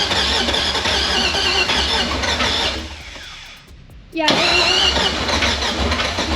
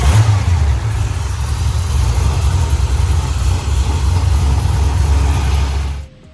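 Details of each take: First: LS V8 with open headers, running with no tune and bad injector data after the old tune was deleted: catches after a short crank into an uneven, lumpy, popping run; misfiring on several cylinders, needs tuning. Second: LS V8 after fouled spark plugs were found and a retune, now with new mufflers: deep, loud rumble revving smoothly for six seconds then cutting off; runs clean and healthy.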